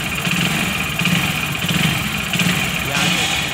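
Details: Hero HF Deluxe BS6 single-cylinder motorcycle at idle: rpm surges and sags roughly once a second, never settling; cause a slipped-off intake rubber hose letting in air, fixed by cleaning and refitting it.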